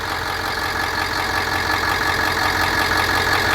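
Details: Bus with a remanufactured engine, air filter box not yet fitted: steady, even idle with a smooth low rumble, no knocks or misses and no dash warning lights; healthy.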